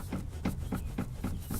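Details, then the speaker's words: 1997-2006 Jeep Wrangler TJ rear seat rocked by hand: sharp metallic clicks, about four a second, from metal-on-metal contact at a loose pivot pin, either at the rear or the front pins; owner plans padding with athletic tape. "and when the seat moves, makes a little bit of a, metal clicking sound. So it's either here or at the pins that are at the front there."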